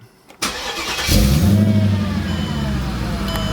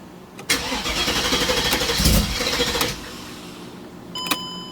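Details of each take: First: Mercedes CLK55 AMG with M113K supercharged V8 swap, check engine light with EVAP and O2 sensor codes; warm restart, brief crank under a second then catches cleanly to steady idle; always fine after initial long cranks, cause unknown. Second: Mercedes CLK55 AMG with M113K supercharged V8 swap, EVAP and O2 sensor codes; cold start, starter churns steadily over two seconds without catching; needed a second attempt instead of the usual third, hard cold start cause unknown.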